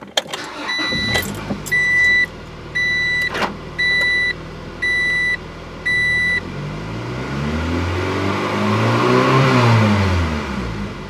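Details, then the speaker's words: 1997 Acura Integra GSR after a new header flange gasket and welding: the engine revs up smoothly and cleanly, with no tinny exhaust rattle where it used to appear between 3,000 and 3,500 rpm. "okay so it was working fine now no more rattle"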